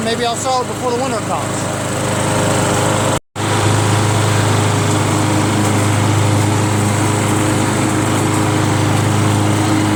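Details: Free curb-pick John Deere JS63 mower, run to burn the tank dry for storage (about 25 minutes): steady, even constant low hum with no misses or surging throughout; healthy normal running.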